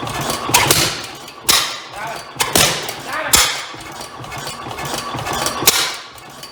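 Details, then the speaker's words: Rare old Bovard & Company engine, two engines combined into one, leaking compression at a valve, first start attempt: slow, uneven sharp bangs about once a second with hiss between; irregular firing, owner wonders whether it backfired. "uh so well we have ignition um may have a little bit of an exhaust issue there did that backfire"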